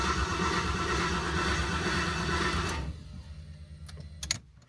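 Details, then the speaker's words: New LS V8 in a 1988 Ford Bronco swap, stock harness, crank sensor just replaced, no spark or fuel: even cranking for about three seconds, never fires; PCM control voltage suspected of dropping out while cranking. "So we're not getting any crank. I think the boys are stumped."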